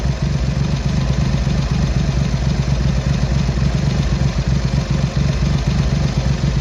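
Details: Triumph Hurricane X75 triple with rebuilt carbs, pilot screws richened slightly and left-hand carb adjustment corrected, not fully warm: steady, even low burble at idle, no stumbles or misses; runs slightly rich at idle; smooth idle.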